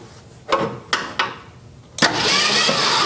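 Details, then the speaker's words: 1966 Ford Mustang, first start attempt with badly gapped, possibly worn ignition points: three separate thumps about half a second apart while cranking, then a rougher run; cylinders starting to fire. "Oh yeah, we got some thumpage now."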